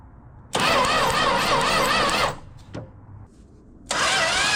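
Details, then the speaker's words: Classic six-cylinder project car, with power restored to the coil but spark very faint: two bursts of steady cranking that never catch; the distributor cap, probably original, is burned and timing was very low. "But I mean the spark here is so faint. Even seven and a half to compression won't fire on that."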